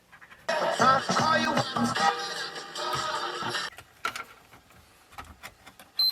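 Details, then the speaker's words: 1984 Sanyo MW1F boombox during repair: music from one channel cuts in and out abruptly with clicks; a break in the purple common speaker wire, which had been resoldered before. "Hear that one speaker clicking. So it's actually the wiring."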